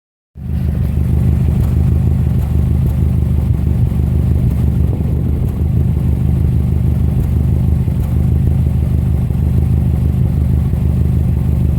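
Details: 2005 Subaru Legacy GT with EJ255 engine running: steady low engine run with an uneven, stumbling beat about three times a second and no clean rhythm; misfire.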